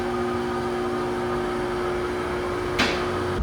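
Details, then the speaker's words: 2008 Chevy Express van just jump-started from a flat battery. A steady high-pitched whine over a quiet, smooth idle, suspected transmission or power steering, unconfirmed: whine at idle. "Now that I can hear the engine a little bit more, it definitely sounds like it's either some sort of transmission whine or power steering whine."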